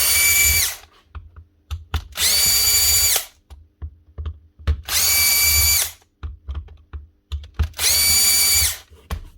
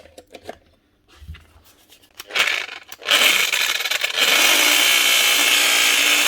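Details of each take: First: Power tool with stripped gears, head removed so the bare motor runs on its own: four short, steady high-pitched whirring runs with no grinding or rattle; the motor runs normally and the noise came from the gears. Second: Power tool grinder on the bench: harsh grinding rattle over a high motor whine, unclear at first whether from the motor or the gears. With the head removed, the gears were found stripped, likely worn by grinding load.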